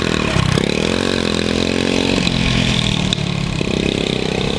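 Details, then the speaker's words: Honda CT70 mini trail bike, long-stored garage find, first run in years: steady raspy idle with throttle blips; rotted exhaust pipe temporarily patched still sounds loud and open, new pipe to be ordered. "I think I'm just going to get a new pipe but we'll see how it runs again I have some parts ordered but let's see if it's uh any quieter"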